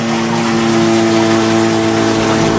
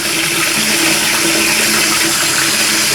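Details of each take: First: Toilet cistern refilling after flush; loud steady engine-like hum over rushing water, continuing until the tank is full, for months; caused by worn 32mm float valve diaphragm washer, fixed by replacing the washer. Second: Toilet cistern float valve after replacing the diaphragm washer, water turned back on: steady hiss of the cistern refilling with no humming, whistling or hammering, normal quiet refill.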